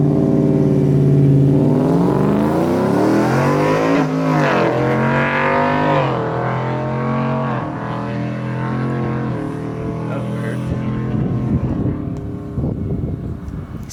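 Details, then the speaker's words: Drag car with stage 1 clutch held wide open on a run at Famoso; pitch climbs then drops sharply at each shift about every two seconds, before revs peak; crew suspects short shifting, thinks more jet will fix it; unconfirmed. "Yeah, that was weird. It was like shifting early. Sounds like it's short shifting."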